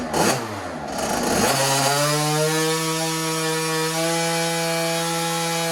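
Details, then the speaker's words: 2007 KTM 50SX ported two-stroke on a dyno pull, with a long-running carburetor issue: screams at a steady high pitch under load, but the note flattens as it heats. Rider feels it losing power as it warms; cause unconfirmed. "I think I can just feel the more the bike's heating up, it's losing power."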